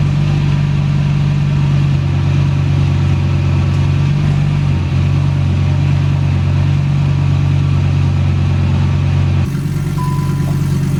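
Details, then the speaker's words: Skoda Octavia vRS with swapped Audi RS3 DAZA engine on first drive test, exhaust only a decat downpipe, no catalytic converter or resonator: deep, booming, very loud exhaust drone with strong low rumble throughout. "yeah that's the reason it was very loud here's my uh Decat downpipe that is the only thing on the engine exhaust wise so absolutely no resonator"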